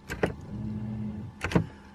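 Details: Renault Vel Satis/Scénic automatic parking brake after repair, battery reconnected, diagnostic computer showing no faults: two short clicks, a smooth low motor whine for about a second and a closing clunk; normal electric parking brake operation.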